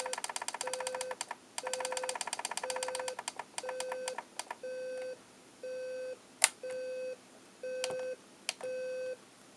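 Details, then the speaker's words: General Electric 7-4809A clock radio alarm: short bursts of rapid beeping then steady one-per-second tones growing louder over time; alarm works normally. "sounds like it's getting louder yeah it's getting louder a lot louder"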